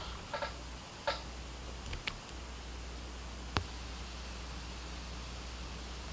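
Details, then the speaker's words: Pioneer class-D car amplifier (GM-D8604 four-channel or GM-D9601 mono), filters off, no RCA inputs, no front speakers: steady even hiss with faint clicks; hiss rises with gain on the four-channel amp, cause unknown. "really hope the camera's picking that up but I'll turn the gains up and show you that it doesn't really affect the hiss"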